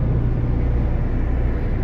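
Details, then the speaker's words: 2017 CLAAS Lexion 740 diesel running after A/C compressor replacement, before charging: low rumble with faint soft hiss of refrigerant circulating, stopping when shut off, fuse not blowing; normal A/C refrigerant flow. "Shut it off. The hissing should go away."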